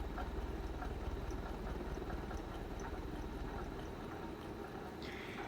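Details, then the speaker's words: 1984 Ritz 42-inch ceiling fan on high speed: low steady whoosh with a faint rhythmic ticking rumble from slightly worn bearings, heard up close; fan shakes a little at that speed. "If you get up a little closer to it, you can kind of hear that slight bearing noise."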